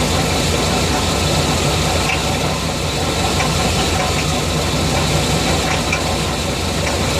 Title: 350 TBI Engine Knock.